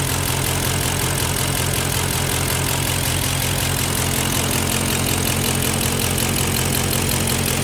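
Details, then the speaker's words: Engine with a cylinder 3 misfire, at idle after Seafoam and Rislone treatment: light regular tick two to three per second with an uneven missing beat; owner suspects a bent valve and plans to pull the head. "And of course it's still misfiring. It becomes more obvious the further away you are."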